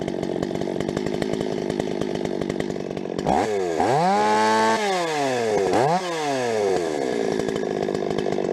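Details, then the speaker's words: Rebuilt Stihl 026 two-stroke chainsaw, cutting: revs hard into the cut, pitch sagging under load and climbing, uneven crackle at high revs; mixture tweaks didn't help, owner suspects spark plug too hot. "overall thing runs pretty good so far I don't like that popping though so I'm going to pull that plug see what that looks like maybe have to put a different one in there that thing maybe's too hot"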